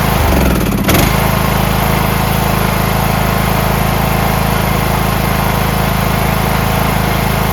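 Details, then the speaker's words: Craftsman MTD T1600 lawn tractor with 46-inch deck, first start after camshaft and automatic compression release (ACR) replacement: brief clatter, then an even low thrum settles at a steady rate, a smooth, healthy idle. "Smooth as can be. That's idle."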